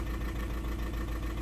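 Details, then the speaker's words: 2009 Audi A3 8P 1.6 TDI diesel at idle after dealer software update (car also remapped): uneven lumpy misfire about seven beats a second, limp mode, DPF light, codes P2463 and P0202. "I don't know if you can hear it but the car is really really like if he's misfiring"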